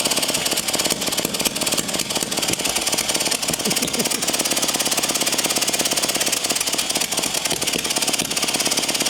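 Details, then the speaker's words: Early 1950s David Bradley walk-behind tractor engine, sat at least 20 years, previously stuck, good spark, cylinder hosed with spray lube; fast light uneven cranking, never catching; suspected compression leaking through the valves, mostly the exhaust valve. "I think it's just not wanting to because we've got so much leaking through the valves so much compression leaking through the valves it's just too much"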